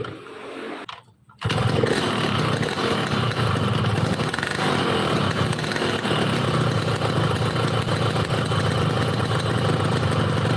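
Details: Yamaha RX King two-stroke, complaint of stumbling at low RPM, after servicing and hot: brief crank, then steady, even idle with crisp, stable beat and no misfire.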